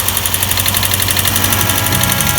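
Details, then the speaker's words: Lexus GS430 V8 (LPG-converted) idling after valve-cover gasket, cam and VVTi seal replacement: fast, even light ticking keeping time with engine speed over smooth idle, heard on one bank only; cause not yet found. "You can hear the tick now. Can't hear anything this side."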